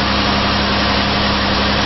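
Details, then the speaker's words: 2008 Mazda Tribute (Ford Escape), after replacing the 203-FF bearing in the serpentine belt idler pulley: even steady idle with no chirp, squeal or growl. Sounds normal again; normal idle. "it back in there and it sounds normal again."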